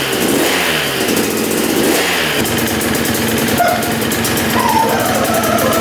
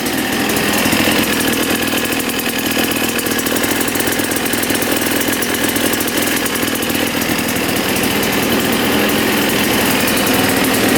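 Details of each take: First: 1989 Yamaha YZ250 two-stroke dirt bike, first start after rebuild: it fires right up and sounds good but idles very low and a little rich; plan is to turn the air screw out for more air. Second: 1989 Yamaha YZ250 two-stroke dirt bike, bought as a non-runner, fires right up after cleaning. It has a very low idle and runs a little rich, so the air screw is turned out for more air. A quick, even crackle holds a steady idle without stumbling.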